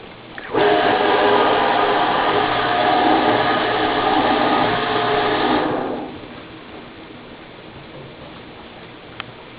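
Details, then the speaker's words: Kenmore UltraWash QuietClean dishwasher, model 655-17032402: filling with water sounds normal, but as soon as the wash motor starts a loud, rough, high-pitched whine with a grinding edge runs steadily. "this is our Kenmore Ultra Wash with Quiet Guard making a weird noise right now it's filling with water and that's a normal but as soon as the wash motor starts you hear a high-pitched whining noise which I don't think is correct"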